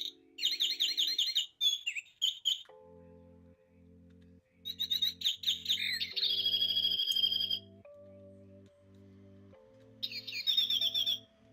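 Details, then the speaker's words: Clock whose bird chime works one minute and not the next: bright chirping bursts cut out to low tones while the clock keeps ticking; intermittent, contacts suspected (to be cleaned), not confirmed. "It seems like 1 minute it works, then it don't work. Now it's not working."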